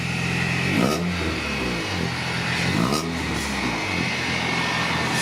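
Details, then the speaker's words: 1994 vehicle just after the rest of the exhaust (welded cat-back section) was fitted: revs rise and fall twice with a smooth, mellow note, no rasp, drone or rattle; quiet, healthy exhaust. "I didn't even hear it sound. Alright. That's quiet."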